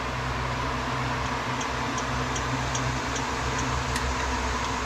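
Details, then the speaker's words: Old Craftsman indirect-drive 120V lathe being restored: steady motor hum with a faint, even tick about twice a second while the spindle spins. It no longer touches the locking pin; the owner suspects newly added washers or spacers. "It's making a ticking noise, but it's not making contact with the locking. pin anymore. So, I'm not sure where that ticky noise is coming from. Might be from those washers, spacers that I put in there."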